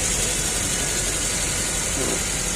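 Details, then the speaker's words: Maruti Suzuki SX4 petrol engine idling steadily and evenly, no stumbles or misses, under a hissy background, after fixing shorted ignition parts that caused misfire, jerking, hunting rpm and low pickup. "लगाओ ACB on हो गया हमारा तो हमारा कम हो गया है और इसका झटका मरने का जो प्रॉब्लम था वो सॉल्व हो गया है"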